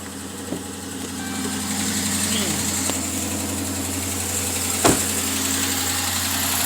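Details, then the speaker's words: 2013 Dodge Charger, new coils and plugs, still misfiring with a code at idle: uneven, stumbling beat with faint ticking and banging, from a bad lifter. "with the ticking and attacking and the banging and the bungee yeah had a bad lift i got to be in this one"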